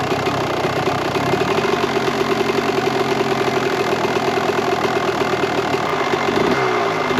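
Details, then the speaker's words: 1998 Kawasaki KX125 two-stroke, rebuilt OEM carb, started quickly on choke: fast, crackly idle with a steady buzzy beat and slight unevenness; the current pilot and main jets are still a touch rich, so the carb is being pulled to swap them. "Alright, so the pilot jet in here and the main jet are not still running rich. So what we're going to do is we're going to pull carburetor out and switch them."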